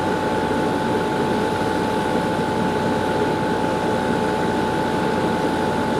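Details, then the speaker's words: Garage A/C after 5–10 minutes running in heat, unit surfaces reading about 112° at bottom to almost 140° at top: loud, steady roar with constant hum, no knocks; labouring yet air blows ice cold, normal running under heavy load. "you can hear it's definitely in labor and as far as the air is putting out blown on me that's ice cold"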